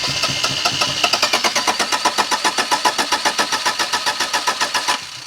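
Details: 1987 Daihatsu Charade GTTI 3-cylinder turbo, sat 10 years, spark confirmed: starter cranks at an even beat of about four compressions a second for five seconds, never fires; no-start traced to stale fuel.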